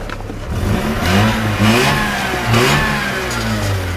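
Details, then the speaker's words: Mazda RX-8 rotary, misfire fixed by replacing an ignition coil (low compression had been feared), exhaust reconnected; revs rise and fall smoothly with no stumbles or popping. "hell yeah look at that just running like a champ now with the with the exhaust all hooked up in"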